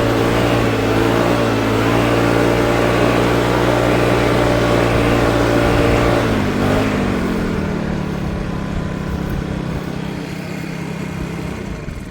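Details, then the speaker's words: Troy-Bilt four-stroke backpack blower after a $15 carburetor replacement, blowing grass and blacktop outdoors: steady even drone, then throttles down smoothly and winds off with no misses or surging; runs great. "Runs great. I don't know if it's noisier or quieter than a two-stroke, but I might prefer the sound of a two-stroke."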